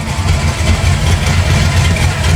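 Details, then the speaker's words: 1974 Chevy Nova with a 1972 front end, revived after sitting for years: a deep, even rumble at idle with steady low pulses and no knocks or misses. The V8 runs smoothly. "So you guys can hear the rumble now. We got this bad boy started."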